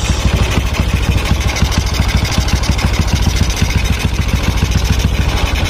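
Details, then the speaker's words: Honda Supra X125R after cylinder boring and head repaint, air filter box missing, possible intake air leak: at idle, quick uneven ticking over exhaust thump; carburetor sound resembles loose valves — valve noise suspected, not confirmed. "Nyalakan. Gagal. Suara karbunya seperti klep moros."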